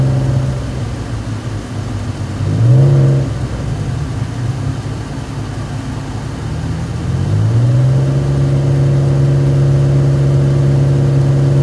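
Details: Isuzu Trooper reversing under load: engine note climbs and drops twice, revs rising without steady pull; failing automatic transmission.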